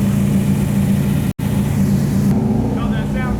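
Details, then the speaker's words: Iron 6.0 LS V8 from an Isuzu box truck, fitted with an LS3 intake manifold, running after install: even, steady idle with smooth low burble, no knocks, ticks or misses; sounds healthy. "test sounds pretty good so far lot of smells a lot of feelings"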